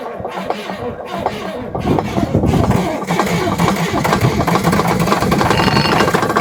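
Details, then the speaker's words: Parts-donor semi truck diesel, morning start on batteries: several cranking turns, then it catches and settles into a busy, fairly even run with no obvious knock. Normal start and run. "Well, it doesn't really sound half bad, actually. It does run."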